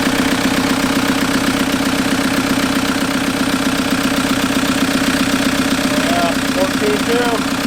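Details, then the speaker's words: 1991 Toyota pickup with swapped 1.9 L ALH TDI turbo diesel from a 2000 VW Jetta, warm with oil cooler thermostat opening. Steady, even diesel idle clatter with regular beat, no misses or stumbles; running normally. "so yeah this thing runs so now it's just a matter of I'm gonna tidy up all this harness"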